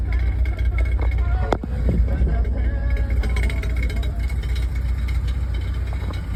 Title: Any ideas what might be causing this rattling sound? Coming from the exhaust area